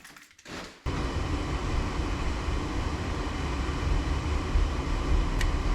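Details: Newly installed replacement gas furnace at first startup: after a quiet start, a steady low rumble of burner and blower sets in and holds even; running normally.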